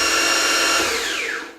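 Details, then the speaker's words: Optimum MB4 geared-head milling machine at its top speed of 3,200 RPM, unloaded: loud steady high gear whine that drops in pitch as the spindle coasts down; normal noise for a geared head. "That's still not horrible. It's um it doesn't uh scream through the whole house. It's It's okay for a geared machine that's well below 5,000 bucks."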